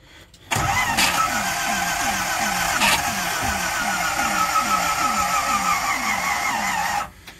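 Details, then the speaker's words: 1969 Ford C700 truck, 330ci V8, cold start after sitting nine months (last ran out of fuel), battery borrowed from another truck: steady cranking that slows and weakens until the battery dies, floats dumped; semi-successful start. "there goes my battery so that was what would you call that semi-successful start"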